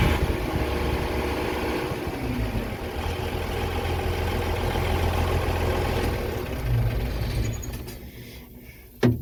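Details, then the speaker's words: Versatile 800 diesel tractor idling in gear right after fitting a new muffler: deep, steady chug at even idle, no knocks or misses, exhaust note a touch quieter; healthy. "So let's see how it sounds with the new muffler. Well, it doesn't sound as nice."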